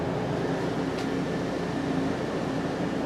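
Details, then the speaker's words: 2014 Itasca Impulse RV rooftop Coleman AC, after replacing the fan motor that had a bad bearing: smooth, even fan rush and steady low hum with no scraping or bearing growl, quiet and strong airflow. Normal running. "Here we go. Oh, it's quiet. Oh, that's fantastic."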